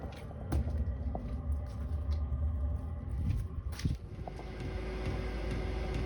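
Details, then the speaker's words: 2kW Chinese diesel heater newly fitted in a VW T4 camper, just lit after fuel priming: steady low combustion rumble with an even roar and no misfire popping, exhaust running clear, pump quieter, air turning warm; normal operation. "does feel like the Air's a bit warmer than cold not warm warm yet but it does sound like it's working the exhaust running clear now the pump's A lot quieter and we got lovely warm air"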